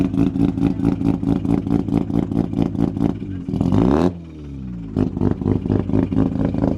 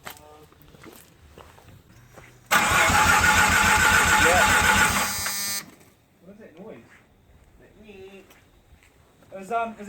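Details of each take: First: Mazda FD RX-7 with freshly bridgeported rotary, first start-up after flooding, fuel pump temporarily jumpered: choppy, lumpy idle picks up cleanly into a quick rev and settles back; healthy start. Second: Mazda FD RX-7 with bridgeport rotary on its first start attempt: about three seconds of steady even cranking, roughly four beats a second, never fires; fuel pump wiring and MAP sensor hose being checked, cause unconfirmed.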